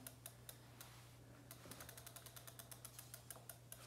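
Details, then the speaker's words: Himiway Escape e-bike rear wheel spun on kickstand: light quick ticks six or seven a second over a low hum, a very slight rotor rub at the caliper; fixed by nudging the top caliper mount. "and there's just a very very slight rub so i'm gonna loosen the top mount i'm gonna ever so slightly move that top mount in"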